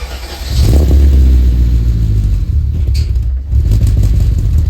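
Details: BMW E34 540i V8, first start after two years, after new flywheel and clutch: cranks and catches within a second, then deep, steady rumbling idle with no misses; healthy.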